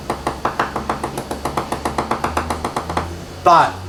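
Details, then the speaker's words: Leopard 45 catamaran hull tap-tested with a hammer at a spot with through-cracks: steady taps about five a second ring hollow and rattly, indicating delaminated, cracked fibreglass. "I want you to hear the sound and notice where it is because it's at a point where it has presumably has some sort of torque so it cracks I want you to hear the rattle noise"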